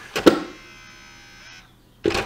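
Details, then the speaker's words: Xbox 360 E disc drive: a sharp clunk, a brief motor whir, then another clunk as the tray drives back out immediately after closing, with or without a disc. The tray won't stay closed. "it's coming on perfectly and the disc is coming out as soon as I close there open tray button it's coming out immediately no matter what"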